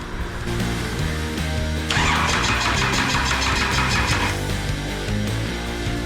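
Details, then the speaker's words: Cummins 6BT diesel with a small ZB30 starter, injector lines cracked open for bleeding and no fuel yet: steady quick cranking chug that never fires; engine cranks without starting. "i mean it looked to me like it was trying to start which is not ideal"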